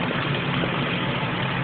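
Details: Ford Windstar: steady, slightly rough and noisy idle with a hissy, airy rush over the engine hum; vacuum leak at the upper intake.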